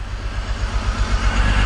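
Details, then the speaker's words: E46 BMW 3-Series at cold start the next morning with a stored misfire code: a deep, uneven, lumpy idle with occasional stumbles. The power balance test shows no response on cylinder four. "We're gonna go ahead and start the car up and see where we're at, see if we still have a misfire on cylinder number two. Oh, I hear a misfire."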